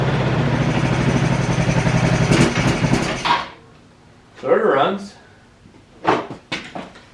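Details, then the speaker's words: Roadside ATV on its original tank and fuel shutoff, starter button overheats on long cranking, quick start sprayed in: fires and runs rough about three seconds, dies, then a few short sputtering catches; not enough to pull fuel from the tank, starving. "Doesn't quite have enough to pull the fuel out of this tank. So we're gonna use a little bit of quick start here."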